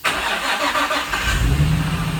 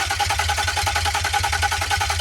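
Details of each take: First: Nissan 350Z after a complete engine rebuild using Murano parts to cure a knocking engine: short crank, then the engine catches cleanly and settles into a smooth, even idle with no knocks or ticks; a healthy start before the first test drive. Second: Nissan 350Z after a complete engine rebuild using junk Nissan Murano parts, first test start before transmission install: starter cranks steadily about three and a half turns a second for four seconds, never fires; cam sensor connectors were plugged in swapped.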